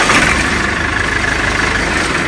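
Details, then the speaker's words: Salsco 12-inch chipper, 4-cylinder Perkins diesel, started with ignition on, oil pressure override held and start button; catches into a steady even idle with no knocks or stumbles; normal start. "So in order to start this engine, I pull on the ignition switch here. I have to push in on the oil pressure override switch, and then I can push the start button."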